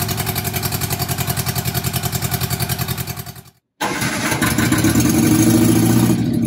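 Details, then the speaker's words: Barn-find Austin-Healey Sprite, fuel from a jug, hot-wired ignition, chokes held, no exhaust (manifold only): fires with even steady pulses, cuts out briefly when the ignition lead shook off, then runs smoothly; sounds healthy. "actually it sounds not too bad it does not have any exhaust on it right now it just has just the exhaust manifold"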